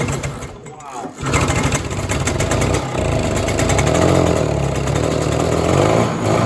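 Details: 1967 Ski-Doo Alpine twin-track snowmobile, sat many years, running on its own fuel line before carb cleaning: two-stroke burbles unevenly, loading up and stumbling instead of running crisp; rich, flooding carburetor, owner suspects debris in the needle and seat.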